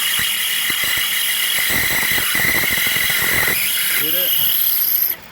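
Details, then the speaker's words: Car engine running, noise in the belt area: high metallic whine with rough uneven rattle that stops when the fairly new alternator's pulley stops spinning; the alternator is coming apart internally. "ticular case I can see the internal pulleys of the alternator spinning and now it's stopped and the noise resides so the noise is gone so what that tells me is the noise is coming from the alternator"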